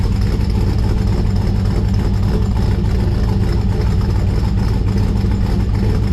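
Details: 1955 Chevrolet Bel Air four-door with Gen III LS V8 (4.8/5.3/6.0) running a Comp Stage 1 Thumpr hydraulic roller cam, changed intake and headers, not yet tuned: deep, choppy, uneven loping at about three beats a second; normal healthy idle.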